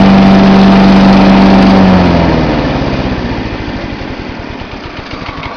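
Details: John Deere 14SE mower, Kawasaki FC150V engine, started cold with choke on, camcorder set on top of the engine: steady even thump about three and a half per second, then slows and eases off smoothly, no misfires or knocks; normal idle.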